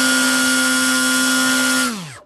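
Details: Hobbyking ASW28 glider's electric motor at part throttle: hard, buzzy high whine with abnormal vibration, then quick spin-down; owner has swapped parts but not yet the motor.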